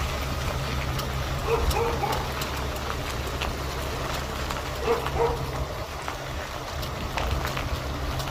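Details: 2012 Kia Mohave (Borrego) with 277,000 km: sharp, irregular metallic ticking like flicked sheet steel from underneath while turning, over a quiet engine; earlier repairs failed, traced to loose wheel hub spacers, which were removed.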